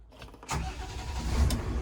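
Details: FPT NEF 450 marine diesel (one of two replacing Iveco 8361s) in an Ocean Alexander 46 flybridge engine room, started in neutral in warm-up mode: brief starter whirr, catches cleanly in about half a second, settles to a steady low rumble; healthy start.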